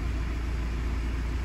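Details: 2017 Ford Transit 2.0 EcoBlue diesel after turbo boost position solenoid replacement fixing lack of power and AdBlue warnings (P246B/P0045/P2564): steady, low, even idle with no hunting, surging or odd noises; running normally.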